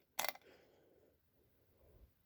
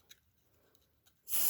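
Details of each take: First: Rare early Dicon 200 ionization smoke detector (no LED) tested again; silence for a couple of seconds, then a steady piercing alarm tone cuts in and holds, detector responding with slight delay. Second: Rare early Dicon 200 smoke detector (no LED) tested with cover off; a few faint ticks, then a loud piercing steady high-pitched shriek comes in quickly, alarm horn working on test.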